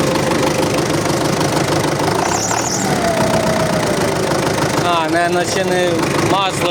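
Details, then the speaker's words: MTZ-82.1 diesel tractor just after the fuel pump was rebuilt and refitted, +40°C weather: a thin whistle sliding up and down over the steady clatter, smoking slightly. Source unknown; owner suspects no oil in the pump. "Щось свистить, не пойму що."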